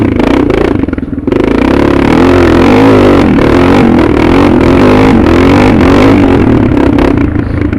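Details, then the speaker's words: Suzuki DR650 with tuned Procycle jet kit, riding: single thump climbs quickly and cleanly with no stumble as the throttle opens; now chugs at 10 mph in second gear, which it couldn't before. "I couldn't I couldn't idled on like this before look listen to that 10 m an hour in second gear the low end of it are you kidding me and then throttle response look at that right in the"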